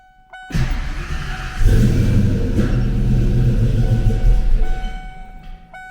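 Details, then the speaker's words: Foxbody Ford 5.0 Mustang with rebuilt Kenne Bell 2.1L supercharger, first start in a year: V8 cranks, catches, then idles lumpy with a couple of sharp pops; misfire from crossed spark plug wires. "Well, that's not good. Let's see what the hell's going on. Well, folks, I gave her the once over. Can't really see anything wrong up here. All my plug wires are on good and tight. I don't know why it had those couple little pops."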